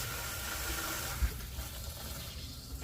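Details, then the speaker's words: Well system after replacing failed pressure tank and pressure switch, power back on: steady rush of water filling the lines over a low hum, no knocking; pump pressurizes, check valve holding: normal pressurizing. "yeah I want to make sure it pumps up and kicks off I want to make sure that the check valve on the pump is holding seems like it's holding strong to me good deal"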